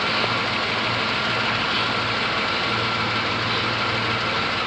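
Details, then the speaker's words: 1994 Plymouth Grand Voyager, heavily rusted, after replacing the exhaust manifold gasket: steady, even idle with soft hum, no puffing or ticking at the manifold, quiet where the leak was heard before; no exhaust smell, exhaust sounds sealed. "this is nice and quiet now whereas before i could hear it and again i don't want to touch it but i don't smell anything"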